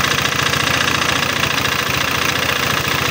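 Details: Honda PCX 150 scooter idling. Rough, with a steady clattering knock of 3–4 beats per second; the tensioner is possibly weak, and the head is to be opened to check cam chain tension.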